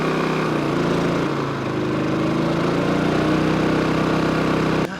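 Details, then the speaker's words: Champion generator running on gasoline, carrying the Airstream RV air conditioner with fridge, water heater and charger off; steady even drone holding speed without hunting or bogging. It tripped every time on propane; normal running under load. "it's running it it tripped every time on propane"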